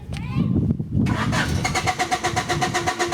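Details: 1993 Honda Accord that shuts off when hot and won't restart: steady cranking at about four beats a second without catching; pump circuit shows 10 volts while cranking, fuel pump has failed, no fuel delivery.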